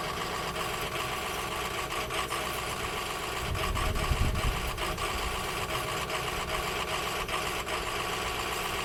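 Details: Ford F-350 6.0L diesel work truck left idling on a cold day: uneven idle with irregular sputters and a brief low stumble; possible causes include injectors, fuel, filter, electrical or sensor fault; diesel rough idle.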